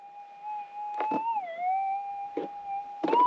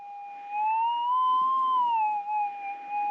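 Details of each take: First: Minelab GPX 6000 metal detector in manual sensitivity, seven clicks, with threshold on: a steady threshold hum bends up and wavers at each pass about every two seconds, giving a clear, distinct target response. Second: Minelab GPX 6000 metal detector just switched on, held four inches above ground after ground balance and noise-cancel, volume up: smooth warbling tone drifting gently up and back down; normal noise-cancel wavery threshold.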